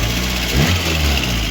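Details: Lada Kalina petrol engine after head gasket replacement and cooling-system bleeding, warm at 92°C: steady, even idle with no misfire or popping, with only faint ticking from valve guide bushings.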